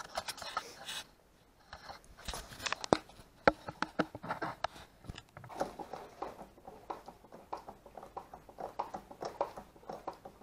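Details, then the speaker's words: 1999 Suzuki SV650 front fork: irregular sharp clacks and scrapes each time the fork is worked, front feels vague in corners; owner suspects a part inside the fork tube, cause unconfirmed, before seal and oil change. "donc comment vous avez entendu on entend un claquement nouveau de la fauche donc je pense que ça vient d'un appareil qui vient dans le cylindre ici"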